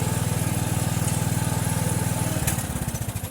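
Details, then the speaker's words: Mower "Filthy" running after a cold start following about two months unused, oil unchecked, kill wire still unfixed: even thumping about four beats a second, slowing smoothly toward the end; runs clean, no misfires. "Don't filthy run good. No, I didn't check the oil on filthy. Should have."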